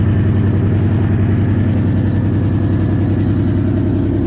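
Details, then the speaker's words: 1997 Toyota 4Runner SR5, about 210K miles, blown head gasket, recently overheated, very cold day; idle with quick puffing tick two or three times a second, exhaust leak suspected from a header, oxygen sensor hanging loose. "You can hear that exhaust leak. Sounds like it's coming from a header down here."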